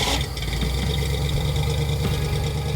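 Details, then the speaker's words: 1962 Ford Falcon engine idling deep and steady with an even beat, no stumbling or knocks, after fixing incorrectly set timing and oil spilled on the exhaust heat wrap that had caused clunking, chugging and smoke. "Once we remedied both of those, the thing ran like a brand new car."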